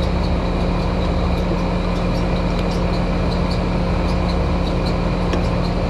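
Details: American Standard outdoor AC unit: steady low hum with a rough, uneven whir and scattered ticks from the condenser fan motor, whose bearings are going out.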